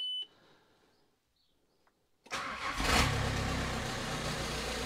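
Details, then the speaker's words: VW T5 Transporter with newly swapped 1.9 TDI PD130 ASZ diesel, rebuilt head and new cam: cranks, catches and settles into a harsh, loud raw idle because the exhaust downpipe is not attached. "it might still sound noisy well it is going to sound noisy the downpipe's not attached"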